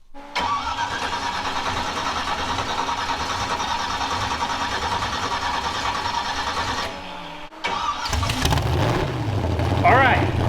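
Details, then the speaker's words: First start of a freshly rebuilt derby-car engine after cranking to prime oil to the bearings: rhythmic cranking, pause, then it catches and runs steadily; starts fine, though a cracked head later found leaking water. "then we're gonna fire it up make sure it runs because if it doesn't run we aren't Derby in"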